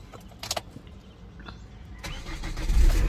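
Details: Chevrolet Captiva that cranked but wouldn't start with no trouble codes, diagnosed via live data; now short crank, catches and climbs quickly to a steady running note — normal engine start.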